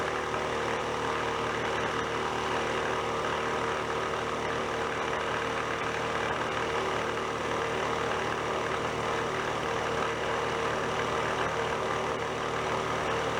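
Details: Older air compressor that had a bad rod knock, repaired with spare parts, pumping up: a steady, even hum with rattle-free pumping at constant speed. Normal running.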